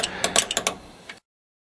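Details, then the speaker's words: Hi-Lift jack raising a vehicle by the bumper, handle pumped with both hands; quick run of bright metallic clicks, about six in a second, then quiet: climbing pins seating normally, signalling the handle can reverse for another stroke. "you will hear and feel the climbing pins click into place which indicates that the handle Direction can be reversed for another stroke"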